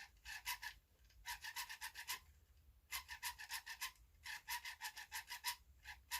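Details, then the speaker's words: Vivitar AeroView drone motor run until warm, squeaking after flights: short bursts of high, raspy squeaks come in groups about every 1.5 s. Owner guesses it's this motor, but later finds it isn't; the cause is unclear. "I'm guessing it's in this motor guys get it good warmed up and it starts to make the noise so"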